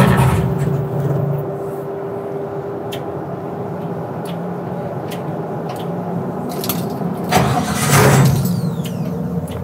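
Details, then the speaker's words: '67 Chevy C10 idles fine briefly then stumbles, surges and dies when throttle is touched, fuel and fumes from exhaust: rough running and stalling after start, cause not found. "It's not happy. It just died again. It's really unhappy. Well, it ran good for a minute."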